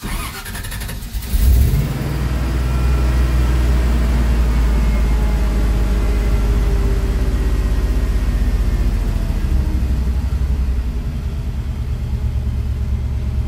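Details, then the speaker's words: Carbureted 5.3 LS swap truck after replacing the failed MSD 6014 ignition box, old timing map loaded: starts in neutral after a brief crank and settles into a steady, even run with no misfire. "no more no more misfire it is running as good as it was running before the box messed up"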